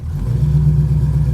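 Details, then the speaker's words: Pontiac Grand Prix G-body with a cammed 305 small-block Chevy V8 after fixing a spark plug wire grounding out on the header: deep, even burble holding steady through a slight rev, no stumble or vibration. "all YouTube We Are Back In Action no more vibrations no more little"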